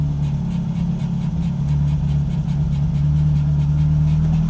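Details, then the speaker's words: VW Gol G2, engine running at idle: rpm surges by roughly 500 rpm each time the brake pedal is pumped, idle irregular; vacuum hoses checked OK, so a faulty brake booster (hidrovácuo) is suspected. "pisar no freio vai ter uma oscilação na marcha lenta delas observação da marcha lenta já é detectada que tem algum problema"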